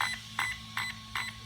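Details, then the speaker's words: HW EZRUN SC8 RTR 120A ESC (JLB Cheetah), programming the low-voltage cutoff via its built-in button: four evenly spaced short high beeps about 0.4 s apart mark column four; one more press for column five, 3.2 V. "four beeps column four and i want this to be in column number five 3.2 volts"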